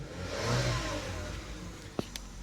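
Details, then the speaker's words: 2002 Citroën C3 petrol (TU engine, 50,000 miles) after a starter motor replacement: a quick, clean throttle blip rises smoothly and settles back to a quiet, steady idle. "Look, a bit of throttle. That's nice, isn't it?"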